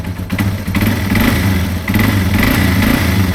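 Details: 2005 Yamaha TW200 single after valve adjustment and exhaust repair, owner had noticed a changed exhaust tone: deep, even thump at idle with a slight blip, no ticks or misses; a healthy idle.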